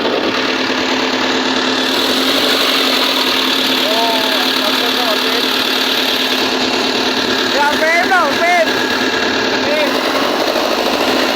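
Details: Volvo 210D diesel with a steady, even idle, a smooth rumble and a few brief chirps; it runs normally at idle during a won't-start diagnosis in which the fault was traced to the fuel sensor.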